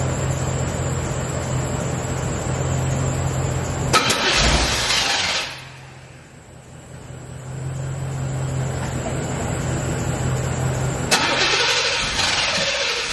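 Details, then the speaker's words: C4 Corvette that still won't start after its dead battery was jumped: it turns fully over and runs roughly for a few seconds, then goes quiet before cranking resumes. Owner feels something stops it staying running; cause unknown. "like it's turning all the way over it's cranking but then it's just it just feeling like it's something that's stopping it from staying on or like staying like crunk or something"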